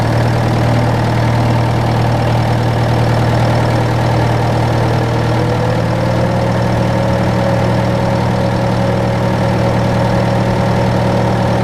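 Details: John Deere 6115M diesel tractor (about 3 years, under 1000 hours) idling after rubber fuel line replacement and electric-pump priming; steady, even idle clatter with constant deep drone, no misses or stumbles; normal idle.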